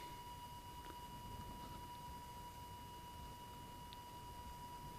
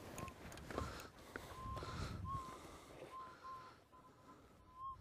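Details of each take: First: Minelab Eureka Gold metal detector, with sensitivity backed off to a stable level for the ground: steady, rhythmic threshold tone with no drift or wobble over a quiet hiss; properly set, stable threshold. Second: Minelab Eureka Gold detector at 60 kHz in boost mode over a wash: faint irregular warbling high-pitched blips; ground mineralization noise, not a target signal.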